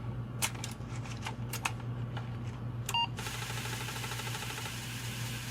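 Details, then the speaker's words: Apple IIc internal floppy drive running a cleaning disk wetted with 99% IPA to clean the heads: a few clicks, then a steady spinning whirr with a light even tick over a low hum; drive operating normally. "that sound as it's cleaning those heads let's turn this over add a little more alcohol turn it over and try the other side"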